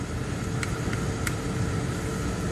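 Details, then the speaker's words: 2005 Chevy Tahoe, 173,000 miles, automatic climate control with blower motor controller; key on, a steady rushing fan roar with a low hum and faint clicks, its speed unchanged by any setting. Blower stuck on one speed, cause not yet diagnosed. "So let's do key on. And no matter what we do to the fan speed does not change whatsoever. Okay?"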